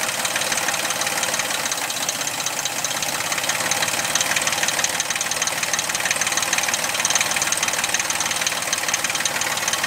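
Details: 2000 Suzuki Vitara V6 24-valve at idle: fast, uneven ticking clatter of about three per second over the idle; abnormal engine noise, cause not identified.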